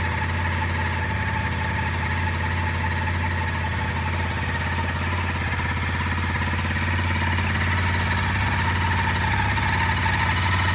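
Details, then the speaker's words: Honda CRF250L single-cylinder first start after installing a 13.2 l aftermarket tank, checking fuel pump; catches and settles into a steady, even idle with a low thump about 2.5 beats per second, runs clean; normal idle. "So the next step for us is to connect the battery negative terminal back and try to start the bike up and see if the fuel pump and everything is working as it should. Okay, big moment. That sounds normal."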